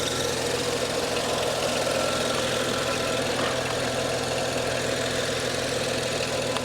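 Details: BMW 135i, low mileage (about 50K miles), stick shift, rear-wheel drive, stock, hail-damaged: steady, even idle with a smooth low hum and no stumbles or knocks. Normal idle; mechanically solid.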